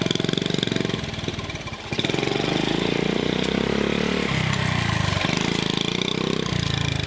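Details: Honda CT70 mini bike, garage find, first start in years, with the rotted exhaust tapped back together: small single popping at idle with throttle blips, loud and raspy through the makeshift pipe; new pipe planned.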